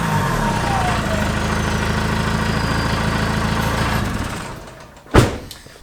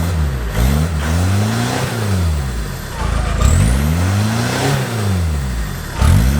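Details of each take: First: Peugeot 306 2.0 HDi, stage one tune, on its original rotten exhaust before stainless replacement: a sharp, raspy chuff on every firing pulse at idle, swelling with revs. Exhaust leaking in many places. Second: Peugeot 306 Meridian 2.0 HDi with a new custom stainless exhaust with extra boxes, engine bay squeaking from rain: several blips falling back with a deep, even rumble, no puffing or ticking leaks; normal exhaust note.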